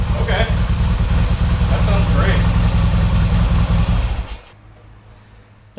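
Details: Yamaha XS650 vintage twin revived after sitting ten years: steady, even low twin-cylinder beat with no knocks or rattles, then it drops to a quiet idle. Sounds healthy, normal running.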